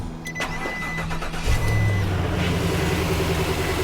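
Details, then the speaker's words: Specialty Truck Body junk removal truck start: chime, brief crank, engine catches cleanly into a smooth even low rumble; healthy American-made engine starting. "Hear that? That's American-made ponies right there."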